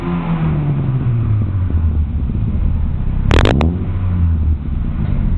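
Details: Chevrolet Aveo after exhaust leak repair: deep, even exhaust rumble rising smoothly with the revs, no puffing or ticking from the joints; exhaust sounds sealed and healthy.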